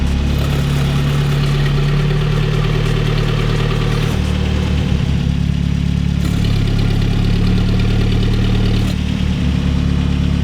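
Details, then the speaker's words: Mid-engine Mitsubishi Eclipse turbo engine after a new turbo setup with external wastegate and bigger downpipe, fixing boost creep: warm at operating temperature, strong even idle with light blips, no misses or rattles; wastegate opens around 10 psi boost. "everything seems to be good reached operating temp held temperature wastegate is open when we give it about 10 pounds of boost you can hear that"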